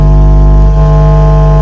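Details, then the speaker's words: Modified class D amplifier with GDT-driven SMPS: steady low tone turns harsh and buzzy once volume passes about a quarter; amp clips immediately because supply voltage drops under high input instead of staying continuous. "tapi ketika ini e volume saya naikkan itu langsung nah itu langsung klip tadi volume kecil ya belum ada seperempat"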